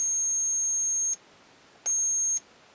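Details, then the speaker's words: HP-41C calculator testing a new connector with an old finance module: two high, pure beeps, unprompted, which the owner says means something is wrong with that unit. Abnormal beeping. "You can hear it beeping maybe there. This one beeps for some reason. There's something wrong with it."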